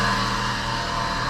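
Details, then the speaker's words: VW Golf 4 at idle after catalytic converter replacement: steady high-pitched whine over an even idle, attributed to the alternator, which is to be replaced; suspected worn alternator pulley. "donc on vous attendait une gros bruit bizarre c'est normal c'est la folie 2"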